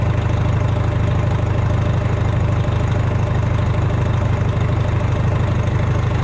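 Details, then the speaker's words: Rebuilt Detroit diesel, first start after valve adjustment and injector height setting, dirt found in the intake, 60 psi oil pressure at idle: deep, steady, even idle with no knocks or misses; normal idle. "60 psi at idle. Pretty happy with that."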